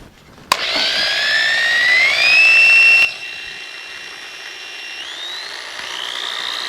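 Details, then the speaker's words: All-plastic double-insulated corded drill, ungrounded plug, owner's used drill with awkward on-off switch: clean whine rising smoothly as it spins up, then steady, no rattles or grinding; normal running. "This drill runs good, and I've used it, and I've had some success with it."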